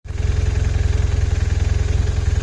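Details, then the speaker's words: BMW R1150RT motorcycle at idle: a fast, even rattling knock over the low thump that disappears when the clutch is pulled and returns when released; clutch disc or primary shaft wear suspected, not confirmed. "признак того что что-то уже происходит с диском сцепления либо с первичным валом вот слышно такой звук сейчас Обратите внимание нажимаю на сцепление звук пропадает видите отпускаю сцепление начинает тарабанить"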